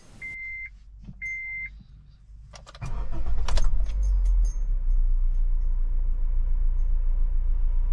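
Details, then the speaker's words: Honda BR-V 1500 cc, cold start without turbo ventilator fitted; two lock chirps, short crank, fires and settles to an even, steady low idle, RPM briefly high after starting, normally about 600-700 rpm; normal cold start and idle. "Oke, ini dalam kondisi tanpa turbofan, mesin kita tunggu sampai stabil karena habis starter memang RPM bisa rada tinggi."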